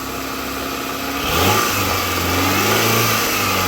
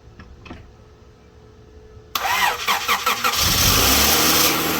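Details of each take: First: Honda CB7 Accord bought as a test car, first start, the start sounding bad and codes stored: idle blips up sharply around one second, then holds a fairly steady raised hum without knocking; seems to run okay. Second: Honda Accord CB7 test car, just acquired, with stored fault codes: brief crank, then ragged, uneven, sputtering run settling toward idle, seems okay when revved. Rough start and idle; cause not yet found.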